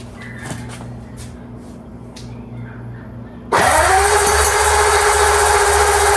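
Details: Freshly rebuilt Ford flathead V8, first start: quiet hiss, catches at about 3.5 seconds and settles into a steady even run until it runs itself dry. Normal running.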